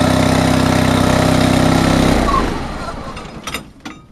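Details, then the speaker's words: Honda HT3813 small engine, compression maybe low but running OK: thumps along evenly with no valve ticking or obvious head leaks, unlike the other engine, then is switched off and spins down. "on this one there's no obvious head leaks um like you don't even hear any valve valve noises on this like you did with the other engine"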